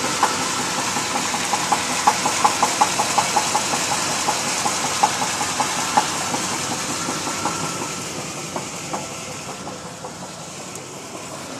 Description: 1991 Chevy K1500 305 V8 connecting rod bearing knock.